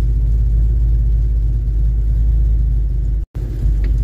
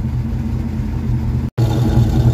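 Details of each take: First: Mustang V8 after new factory-style tailpipes replaced poor pipes, heard from inside the car: deep steady exhaust rumble, even and with no rattles or leaks; sounds right after the repair. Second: Mustang V8 on a completely cold start after new factory-style tailpipes: lumpy cold idle heard at the tailpipes with a faint puffing crackle from a passenger-side exhaust leak, louder the lower the idle.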